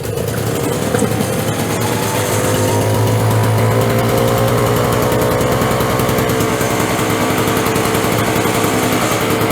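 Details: Curbside-rescued Craftsman 5.0 hp two-stroke snowblower, cold start on manual recoil with choke on and primed three times: fires on the pull and settles into a steady even buzz, no misses or knocks; starts great.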